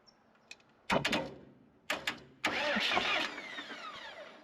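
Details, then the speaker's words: Morbark 2400XL track chipper's 4BT diesel, bought at auction sight unseen, first cranked on a hooked-up battery: a few sharp clanks, then the starter spins it steadily with even compression pulses; it has compression, healthy cranking. "Ooh, has compression. Okay, well, that's a good sign."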